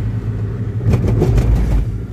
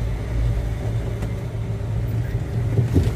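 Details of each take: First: Daihatsu Luxio driven on a rough road after months of hard off-road trips: over road rumble, a second-long burst of hollow clunks from the front wheel on the rough patch; front suspension knocking, likely worn parts. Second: Daihatsu Luxio driven after front suspension work for a front-wheel clunk: only steady low road rumble, no knock from the front left, and the owner concludes the cause was the "bojo" part, not the shock absorber. Normal suspension, no clunk.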